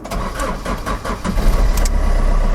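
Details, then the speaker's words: Fiat Doblo after oil sump replacement, fresh oil and refitted exhaust with cat: the starter cranks briefly, then settles into a smooth, even idle with no knock; engine light still on, oil pressure light goes off; sounds better and less bassy. "oh that sounds so much better that sounds fantastic it's not as bassy"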